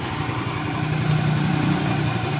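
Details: Honda Vario 110 carburetor scooter, used, after repair with bracket refitted: steady, even idle with a smooth low putter and no knocks or rattles; normal idle.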